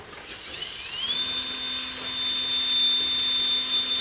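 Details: RC crawler outrunner motor at about 5% throttle: a steady high whine climbs then holds over a faint low hum as it crawls slowly. Typical outrunner howl, nothing abnormal.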